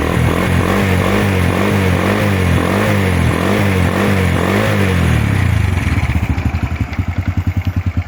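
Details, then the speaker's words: Honda Wave 100 single, original engine and original carburetor, described as a good engine: revs briefly then settles into a quick, even putter with steady beats and no knocks; normal healthy idle. "เครื่องแจ่มๆสวยๆเลยนะครับเครื่องเดิมกองเดิมคาบูเดิมนะครับ"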